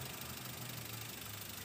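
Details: 2004 Toyota Avanza 1.3 G manual petrol, idling: quiet, smooth idle under much background hiss, no ticks or knocks standing out; engine described as healthy and responsive, normal idle.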